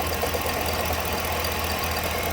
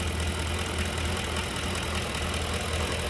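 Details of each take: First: 2011 Ford Expedition 5.4 3-valve V8 with 200,000+ miles, about 2 quarts low on oil, idling with a steady low rumble and light regular knock; AC compressor separately seized. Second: 2011 Ford Expedition, 5.4 3-valve V8, 200,000-plus miles, running at idle with accessory belt removed: steady smooth low rumble with no tapping; engine itself clean, knock not internal, not timing chain.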